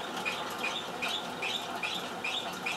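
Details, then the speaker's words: 1996 Hercules Prima 5 moped, front wheel lifted and spun by hand: light, regular high chirp about 2.5 times a second, a squeak from the wheel; speedometer not working, apparently defective. "ein bisschen quietscht es ja und es funktioniert auf jeden Fall kein Tacho das scheint was defekt zu sein"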